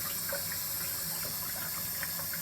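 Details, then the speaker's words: Water heater after replacing leaking connection hose with a longer flexible hose: water turned on a little, steady soft hiss with light trickling and splashing as it drops into the tank; flow normal. "you hear it dropping into the tank so I know it's flowing water"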